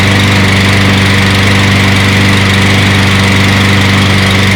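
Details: Toro 22-inch Recycler mower after reassembly, burning off oil with smoke: single-cylinder putters at a steady, even idle, no surging or hunting; normal idle.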